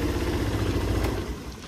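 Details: Kymco Like 125 Italia scooter: short burst of low engine rumble as the electric starter catches and the motor fires, then settles and fades; scooter starts normally.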